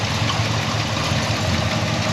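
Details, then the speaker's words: Restored 1971 Chevrolet C10 with 350 cubic inch small-block V8, dual exhaust and TH350 automatic, idling right after startup: steady, even low rumble with no knocks, ticks or misses; normal smooth idle. "No funny noises. Nice and smooth."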